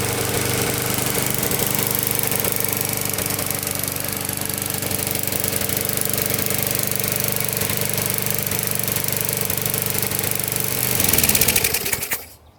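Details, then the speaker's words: Older Briggs & Stratton 3.5–4.5 hp lawnmower engine with carb on metal tank, after carburetor cleaning and diaphragm replacement: buzzes along at steady speed with even beat, then shuts off; running normally. "You're running good."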